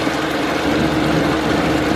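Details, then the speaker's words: Tohatsu two-stroke outboard, about 25 years old, running on the water after new spark plugs; a rough, chugging, uneven note as it drops a cylinder. Misfire was eventually traced to a dirty fuel filter, not ignition. "oh there you could hear it chugging along cuz it's losing a cylinder"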